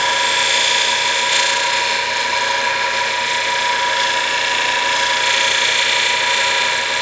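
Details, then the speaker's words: Tool edge sharpened on a nylon fiber wheel fitted to a motor: steady hum with high even hiss of edge riding the wheel, normal contact; fiber wheel generates heat, so cool the tool often. "you don't want to spend too much time on this fiber wheel without cooling it off. The fiber wheel does generate heat."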